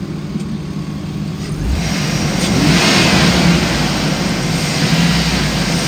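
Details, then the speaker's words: 2005 Hummer H2 6.0L V8 with 72K miles, warmed up after nearly an hour of running, revved in place: smooth, even note rising cleanly with no knocks or misses. The engine is healthy; the automatic transmission engages no gears. "it's got low miles the motor sounds good I've had it running for almost an hour it idles smooth and revs up nice"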